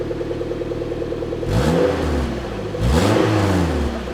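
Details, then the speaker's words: Suzuki Jimny after replacing the holed rear back box with a new standard one: steady, even idle with two clean revs and no rasp or drone; the exhaust sounds like it did from the factory. "all right so now it sounds like it should have S from Factory so as I said nothing interesting it was just a straight swap basically standard back box for standard back box"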